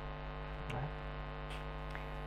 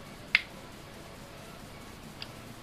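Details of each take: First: Lakoni Basic 123iX inverter welder at power-on test: constant low hum with no output or reaction, switch lamp lit; PTC hot, NTC warm, indicating a short; found to be a damaged IGBT. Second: Lakoni Basic 123iX inverter welder after repair with two replacement 330µF capacitors: sharp relay click at switch-on then faint tick over quiet hiss, relay pulling in normally; 200 V DC measured.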